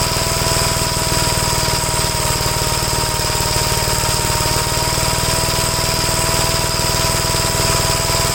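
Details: 1956 Gravely L tractor single-cylinder engine, running after carburetor adjustment: steady, even fast beat with no misses or surging; runs cleanly, showing the carburetors were never the problem.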